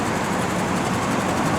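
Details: 1995 Cadillac Sedan DeVille rescued from the scrap crusher, idling with a steady, smooth hum and even background rumble, no knocks, ticks or surging; normal idle.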